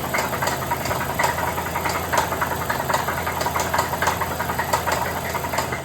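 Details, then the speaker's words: 2015 Chrysler 300C with 5.7 Hemi, startup before the rebuild; heavy, sharp metallic knock about every half second over a rough idle; owner reports a really bad engine knock, fixed with a rebuilt engine; rod bearing knock. "It had a um a really bad engine knock, but now it's back on the road with a rebuilt engine."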